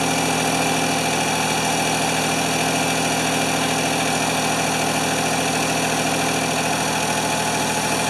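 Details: Free Ford 2600 tractor, oil added to the cylinders for weak compression, smoking, plug wires popping off: an uneven, lumpy idle with a wavering beat and roughness.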